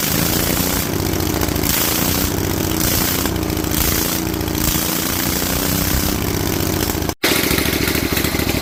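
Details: Rebuilt Vanguard 16HP V-twin with a 23HP carb, open air filter and header, spring reattached: a steady chug holding even speed with a brief dropout near the end. Running normally at idle.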